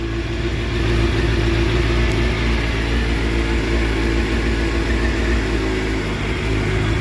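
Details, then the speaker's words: Crashed Suzuki GSX-R750 K7 track bike, first start after sitting a long time, new exhaust silencer with baffle fitted muting the sound; smooth steady purring idle, no ticks or knocks, still warming up, FI light on. Normal idle. "that's not bad considering she sat up for so long almost makes me wish I'd taken the baffle out so we could hear it properly"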